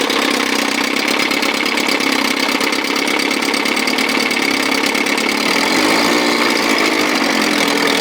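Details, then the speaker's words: 1957 Montgomery Ward Sea King 5 hp two-stroke outboard, revived with new plugs, idle nearly set: crisp, buzzy idle holding steady with a fast even beat; it starts first pull and sounds sweet. "Boy, she runs, she sounds sweet. It's gonna clean up real sweet. Starts first full every freaking time."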